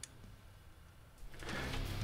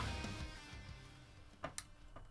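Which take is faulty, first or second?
second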